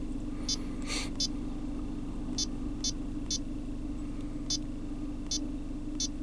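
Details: GM Chevrolet Cruze (complaint of high fuel use, shaking misfire and knocking from rear near fuel tank), idling after adaptive fuel trim reset and relearn: steady even low hum with faint light ticking, no stumble; smooth idle.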